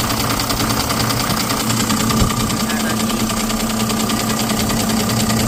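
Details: Ashok Leyland BS6 diesel engine starting after its oil-leaking Bosch CB 2820 high-pressure pump was removed, cleaned with the timer and refitted: it catches and settles into a steady idle with a regular clatter, no misses or hunting, running properly.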